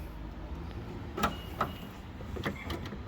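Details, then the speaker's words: First-gen Toyota Sequoia rear hatch after installing bypass lever and interior cable release, hatch shut: two quick crisp clunks about a third of a second apart, then quiet; lock actuator locking and unlocking normally. "It's locking. Well, unlock it. It's unlocked."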